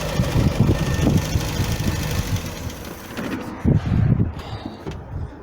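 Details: Mk3 Ford Cortina with a 50,000-mile engine: a steady low rumble with an even beat and no knocks or ticks; engine idling smoothly.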